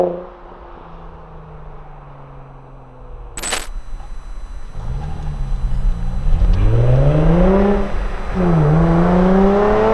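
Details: Nissan 350Z with Cobra Sport non-resonated exhaust and TP34 tips, standing start filmed from outside: quiet idle, clean pull with note rising smoothly, brief drop at the shift, climbing again; normal exhaust note under acceleration.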